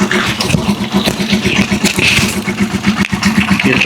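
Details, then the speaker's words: Rusi Chariot 175 motorcycle, not yet tuned up, engine otherwise said fine: uneven idle with light quick ticking over the putter, about four a second; valves noisy, valve tapping. "tunog niya medyo may lagat ng konti doon sa bagula. Hindi lang ng tunog yan. Maingay na. Maingay na yun mga travelers yung kanyang balbula."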